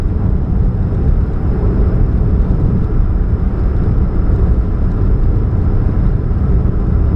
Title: What's that Humming Sound, Catalytic Converter Leak, 2013 Chevrolet Spark, 29 July 2015, GP049051